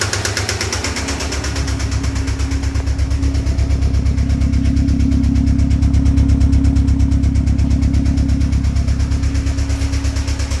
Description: 2008 Subaru sti spun bearing. Going to need engine rebuild.